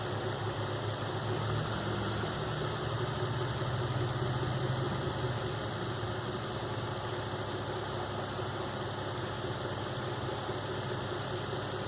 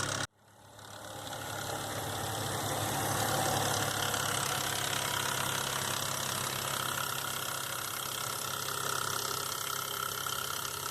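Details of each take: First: 2005 Nissan Xterra VQ40DE V6 after replacing timing chains, guides and all three tensioners (broken tensioner had left chain slack): smooth, even idle with steady low hum, no rattle or tapping; noise gone. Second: 2005 Nissan Xterra VQ40DE V6 idling with fast rattling tapping from the front timing chain, slapping due to a tensioner not riding properly; fixed by replacing timing chains, guides and all three tensioners.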